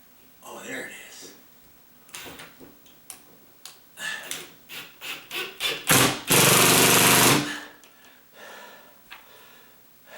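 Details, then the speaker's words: Ratcheting drill driving a screw into a pre-drilled hole in a 25-year-old TJI floor joist to secure a ceiling fan pancake box: quick bursts of sharp clicks and whirring as the ratchet clutch slips, which is normal by design. "is one of those ratcheted drills, and so it's supposed to make that noise."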